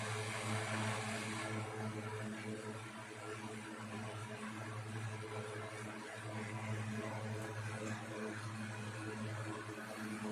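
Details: 1960s 16-inch Toastmaster box fan started up after storage since late 2022: low steady hum with even whoosh of air, no wobble, rattle or rubbing; runs good, owner says it needs cleaning and probably servicing.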